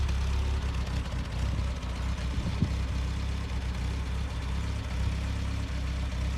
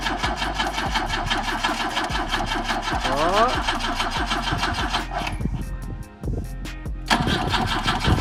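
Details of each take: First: BMW with M10 engine started after 1.5 years not running, following rear-end reassembly with new bushings, differential, and trunk-mounted battery: steady deep even engine note without misfires or knocks; running properly. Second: BMW with M10 engine, first start attempt after 1.5 years not running, fluids and fuel in tank, relay clicking: starter cranks about three turns a second, pauses, keeps cranking without firing; they suspect insufficient fuel.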